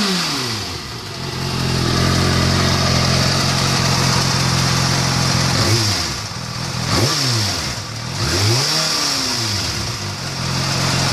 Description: This is a second video of my bikes ticking noise, but this time it has been fully warmed up first.